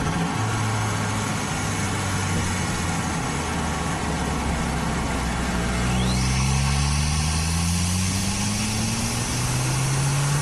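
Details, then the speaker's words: Audi A4 B7 Avant turbo, stock exhaust, after replacing a split OEM diverter valve (boost leak) with a GFB DV+: strong, smooth drone climbing in pitch under acceleration, no flutter or hiss; turbo engine pulling harder and cleanly. "car is performing so much better pulls a lot harder"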